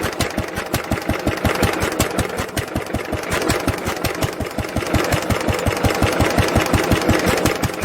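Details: 1946 International LBBR 3-5 hp hopper-cooled single-cylinder engine off a hay press, with a homemade glasspack muffler fitted: regular, evenly spaced firing pulses at a constant pace with a smooth, damped exhaust note; normal running.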